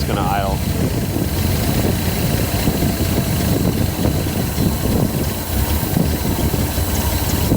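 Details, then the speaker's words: 1979 Datsun 280ZX after injector replacement: lumpy, uneven idle about to stall, heavy smoke and blowby; owner suspects bad gas, too much fuel, compression issues. Unstable idle. "Or I could probably, you know, adjust it. Fuel. That might be a problem. Probably getting way too much fuel."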